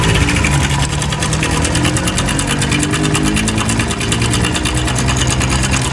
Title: bike engine noise problem#Shorts#BikeRepair#MechanicLife#DesiMechanic#MotorcycleTips